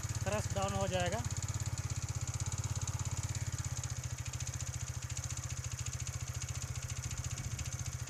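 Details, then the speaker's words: TVS Ntorq BS6 scooter, cold engine with ECU-controlled auto-choke: quick, steady low putter with an even beat, running a bit fast and easing slightly; normal cold-start fast idle that settles by itself. "जैसा कि आप देख सकते हैं, engine इस समय थोड़ा ज्यादा तेज गति से चल रहा है।"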